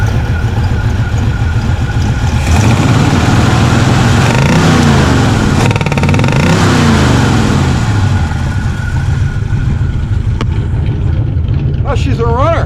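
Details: 1967 Chevrolet Impala 283 V8 just started after starter swap: uneven idle with sharp pops coughing back through the carburetor; exhaust sounds fine, no valve noise. Suspected stuck or non-sealing intake valve; black smoke noted.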